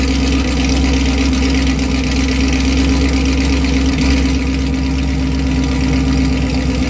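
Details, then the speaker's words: 2018 Chevy Camaro ZL1 with NPP valved Corsa exhaust, active muffler removed on one side, cold start in touring mode: deep, loud, steady rumble at a fast idle with a raw open note; missing muffler. "okay yeah that's pretty loud all right well honestly couldn't even tell that I put it in uh touring mode at all"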